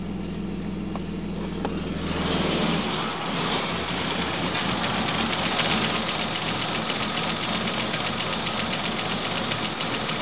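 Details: Volvo 965 2.5 started after sitting three years: catches after a couple of seconds and settles into a lumpy, uneven idle with an irregular pulse about four beats a second; rough idle, cause unknown.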